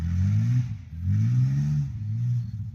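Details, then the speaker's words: Ford truck with 300 six (4.9) after fitting VW injectors: two or three clean throttle blips, revs rising and falling smoothly with no misfire or stumble; now has throttle response. "It's got throttle response now. That's for damn sure."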